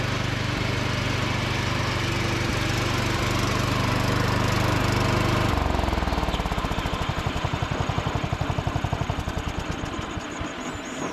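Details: John Deere D110 riding mower after cleanup, deck engaged while driving: steady even small-engine drone, then smooth wind-down into even firing pulses; runs healthy and strong.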